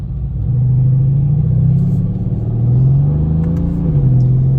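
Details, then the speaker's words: 2018 Mercedes-AMG C63 S stopped at a red light, transmission temperature high (233°F) and climbing: steady low humming drone over the idle that rises briefly; cooling fans running hard because a punctured radiator was leaking coolant, later replaced. "so I get in the car and drive home and during the drive home transmission temperature keeps going up yeah as soon as I come to a stop at a red light I hear that humming sound"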